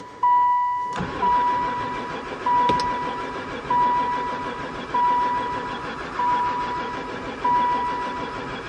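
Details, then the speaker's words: Van sat unused about four years: the starter cranks on and on with a chime beeping but never fires, even with gas poured into the intake; owner suspects no spark. "Um, I think we definitely got no spark. I give up."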